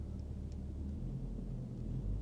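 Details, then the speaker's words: 1990s first-generation Ford Mondeo Mk1 museum car, engine heard idling from inside the cabin: low, steady, soft even rumble, described as really quiet, nothing ticking or knocking; healthy idle. "Have a little listen to it. Oh, by the way, it's really quiet."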